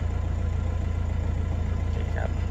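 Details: Nissan Navara NP300 diesel with no-power and engine-knock complaint, after codes cleared, idling cold with fuel rail pressure high: steady, even diesel idle, smooth low rumble, no knocks or misses; engine sounds normal.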